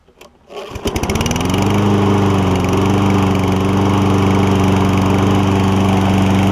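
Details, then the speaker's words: Toro Recycler Kohler mower, choke modified to sit 1/8–1/4 closed and tied to throttle vane: pull-start catches within a second into a steady, even single-cylinder drone with a faint early surge, typical when cold; runs great. "The choke is open far enough to where it runs great. When it's just maybe like between the 1/8 and 1/4 closed, but it's kind of directly tied to the throttle vane, and so it does surge a little bit when you first start it, especially when cold."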